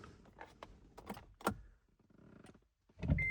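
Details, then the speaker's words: 2014–2017 Honda Odyssey, dead key fob battery: pressing stop/start gives a short high warning beep and blinking button as the fob isn't detected; fix is holding the fob to the button, then starting normally. "it's not going to start. You hear it beeping and you can see the stop start button blinking."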